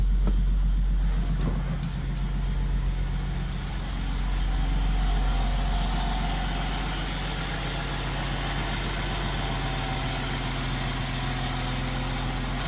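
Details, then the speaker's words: BMW convertible idling after reinstalling serviced injectors; a faint metallic rattle rides on the steady idle as the alternator's cooling fins hit the alternator shell. Alternator rattle at idle. "Let's ignore that rattling alternator. The cooling fins are hitting the alternator shell, but we'll just try to forget that for now."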